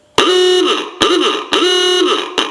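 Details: Repaired 1923 Sparton Ahooga horn bench-tested on a battery after disassembly: four loud honking blasts, each a strong buzzing tone sagging in pitch as it dies away; horn working properly.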